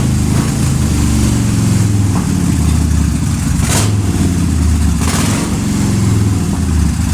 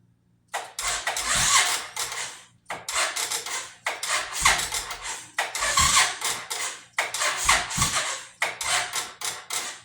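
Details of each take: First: 2005 Suzuki Boulevard S83 V-twin, sat about four years, carburetor cleaned and rusty tank treated: steady low lope, even, light blips, no knocks or misses; normal idle. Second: 2005 Suzuki Boulevard S83 motorcycle that sat four to five years: starter groans in slow, uneven bursts, turning the engine sluggishly with no catch; slow cranking from a weak battery and bad connection.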